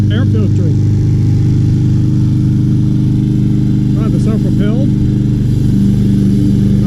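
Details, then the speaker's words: Free 2020 Craftsman M320 self-propelled mower, 163cc Briggs & Stratton, said not to start, started easily without carb cleaner despite a clogged air filter: steady, even single-cylinder drone at constant speed, no misses or knocks; normal running. "here we go oh wow way too easy put this in and see if it stops no it doesn't wow and it still runs with"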